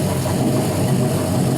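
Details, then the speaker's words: Warm (195–200°F) 5.3L LM7 V8 from a 2001 Silverado, 151k miles, LS1 cam, 862 heads, iron block, drive-by-wire, idling on a test stand. Deep rumble, no smoke; slight surge because no transmission is attached. "Sounds real good. It's got the LS1 cam in it, so it's got maybe a little bit more of a rumble than like a stock 5.3"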